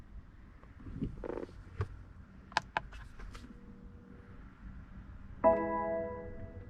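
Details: 2018 BMW X3 (G01) 2.0 turbo diesel, rear electric parking brake actuator retracted to installation position via Foxwell NT530 scan tool before pad change: a few clicks, then a brief even motor whir of about a second; normal.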